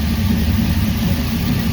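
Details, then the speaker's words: Car after fuel pump replacement and float level adjustment, fuel pressure now 6–7 psi instead of barely 3: steady, even low idle with slight revving, no stumble, surge or miss; runs better, owner still fears a bog on launch. "Just by idling and revving a little bit, what do you think she runs better now? Oh hell yeah."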